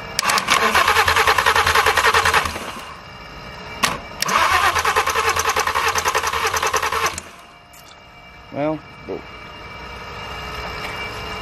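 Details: Totaled, crash-damaged VW R32 with the starter jumped directly rather than cranked with the key. Two long bursts of steady starter churning at about three compressions a second never catch: it cranks but won't start.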